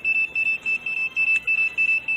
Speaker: go to manual pick any three and hit no goal and machine will start beeping crazy